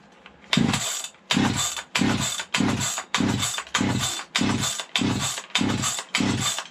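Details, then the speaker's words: Vintage 1970s Stihl 031AV chainsaw, a barn find left out in the rain and long unable to start, pulled with the spark arrestor bent aside: repeated pull-start bursts each catching briefly and dying; it fires but won't keep running, cause unconfirmed. "You guys can hear it, hopefully. She wants to go. She wants to go."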